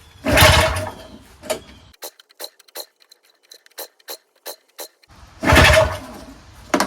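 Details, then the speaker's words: Yard Machines single-stage snowblower with a seized engine that has just been freed. Spark is confirmed, the plug is refitted and carb cleaner is sprayed into the intake. Two rough pull-cord rasps with light ticks between them, and no firing. The engine won't start, and the pull felt funny. "Whew. So it doesn't even start. Doesn't turn over."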